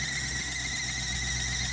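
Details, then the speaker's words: Classic Range Rover 3.9 V8 just restarted after years abandoned, possibly on bad fuel: steady shrill squeal of constant pitch over the running V8 idle; crew suspects a loose accessory belt about to fall off, not confirmed. "No, I think it's a belt. It sounds like a belt's about to fall off it."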